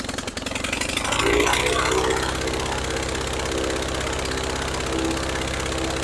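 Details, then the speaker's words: Rebuilt Praga B2 aero engine, last run 1 September 1939 on Hillson Praga G-AEYM, test-run bolted to a Vauxhall, at full throttle with lots of smoke: loud, rough-edged roar held steady at high revs with rapid firing pulses; pulling cleanly. "Look at all the smoke. That was full throttle."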